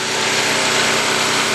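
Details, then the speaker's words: New portable recoil-start generator on its first start, with choke, fired on the first pull once switched on: steady high buzz, even and unbroken with no misses or knocks. "okay as you saw it started with the first pull once I remember to turn the switch on"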